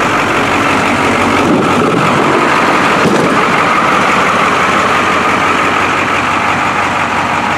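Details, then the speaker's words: 1985 International school bus diesel: it fires right up and settles into a steady, even clatter with no knocks or misses while warming up at idle; normal idle. "well that was boring wasn't it fired right up"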